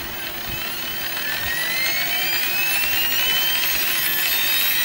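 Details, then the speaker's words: FlyWing FW450 V3 RC helicopter bought with problems, tail drive under investigation: high whine climbs in pitch as the rotor spools up, with a gritty rasp on top; tail gear noise. Cause suspected, not confirmed. "mountain biking that gear noise plus I can stop this fan with my finger"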